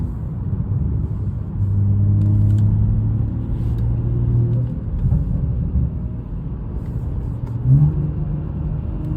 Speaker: ChatGPT, let's make a video for you to see, you know, the noise that it's making and how it sounds when building Boost.